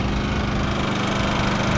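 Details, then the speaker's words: Rpod trailer's propane-powered generator, started with choke pulled, running in quiet mode: steady, even low engine hum with no misses, surges or knocks; normal running. "It also is equipped with a quiet mode, which is currently engaged right here."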